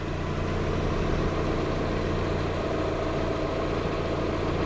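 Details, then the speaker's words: 1997 Mazda Miata (NA) with newly installed replacement engine, first start: even steady idle, no misses, knocks or ticks, temperatures good, no coolant drips; healthy normal idle. "Temps are still good, idle's still good."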